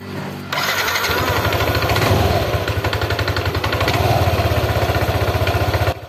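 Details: Yamaha NMAX scooter at idle: a rough, fast rattle rides over the engine beat at about four per second from the CVT; worn variator rollers and sliders.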